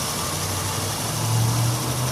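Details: 2001 Honda Odyssey 3.5 V6 at 570,000 miles, idling with code P0304 and check engine light on; cylinder 4 coil pack missing so it runs on five cylinders: rough, lumpy idle with an uneven beat and a stumble every cycle; single-cylinder misfire.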